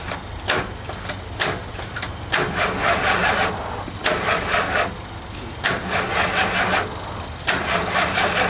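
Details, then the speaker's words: RV after installing new solenoids, battery relay, fuel pump, fuel filters and fuel line: short cranking bursts every second or two with uneven, labored turnover and no catch; owner suspects the starter is going out. "I think everything we've put in works. Now it sounds like maybe the starter's going out."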